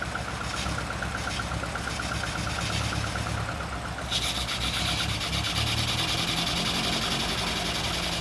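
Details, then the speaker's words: Barn-find Lotus twin cam, off the road 33+ years, just restarted: steady, slightly lumpy idle on its own, then picks up slightly with a little throttle; sounds healthy. Normal idle. "Do you reckon it'll idle by itself? There you go. That's amazing."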